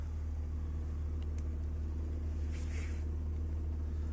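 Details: Cold BMW E34 M50 straight-six at about -2°C outside, oil 47°C, a manual valve fitted in place of the Siemens idle control valve: a deep, slow, lumpy idle near 500 rpm. The colder it is, the harder it holds idle.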